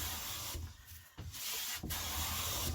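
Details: Clifton 5½ hand plane after its tracking fix, with a waxed sole, on walnut: soft, even hissing strokes as the blade lifts a fine shaving from the center, with no chatter or skipping. It is cutting cleanly.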